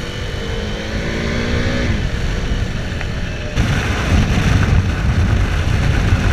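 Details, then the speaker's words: KTM Duke 390 engine on hard downshift with clutch engaged or stopping at traffic lights: note sags as revs drop and dies after about two seconds, leaving road noise; abrupt stalling, fix found by the mechanic. "it's the problem of the engine stalling abruptly it specifically happens when you are downshifting or when you're hot down shifting or stopping at traffic lights when your clutch is engaged and you're going down a few gears your bike stalls abruptly"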